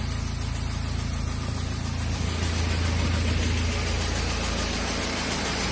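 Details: BMW E92 320d with N47 diesel at idle: steady diesel clatter with a light, fairly even tick about three or four times a second. Engine ticking, cause unknown; owner is asking what the problem is.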